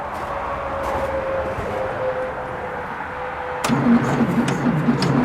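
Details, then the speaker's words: 1966 VW Beetle, first start attempt, fuel pump run briefly: sluggish, uneven cranking at about four turns a second with a steady hum, never catching; slow cranking, no start, distributor to be checked for spark. "see as I said it sounds like it's going pretty slowly before we even go too far I'm going to crack open the distributor see what's going on in there"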